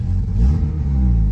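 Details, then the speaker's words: Honda K20-swapped car after replacing loose EP3 headers with new headers: low, steady, even idle rumble with no misses or hunting. Now idles under 1000 rpm; it previously sat around 1500 rpm and never went below 1000. "look at that it never idles under the one and it finally idling under a thousand RPMs"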